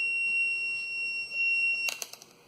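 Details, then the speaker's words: Thermostat for a LANAIR XT-75 waste oil heater shown working: a steady high-pitched continuity tone for almost two seconds, then a few clicks, showing the thermostat contacts closing. "There, see, it turned on. I told you it works."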